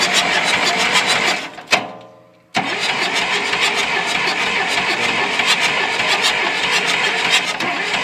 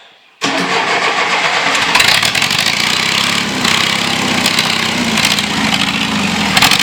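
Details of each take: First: John Deere 2640 diesel tractor that sat for years, with a fuel line cracked for bleeding: the starter cranks steadily, pauses, then cranks again without firing. The injection pump builds no fuel pressure (broken drive shaft); earlier it only ran on ether. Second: John Deere 2640 diesel tractor being revived, on a new battery: silence, then it catches almost instantly and settles into a loud, steady open-exhaust clatter. Normal start and run.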